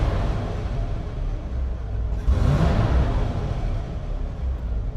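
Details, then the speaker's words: 1952 "Oldsmobile" vintage motorhome engine during quick troubleshooting: a low, steady rumble with a brief rise in revs midway and no knocks or misses. Sounds like it is working. "yeah sounds like it's working"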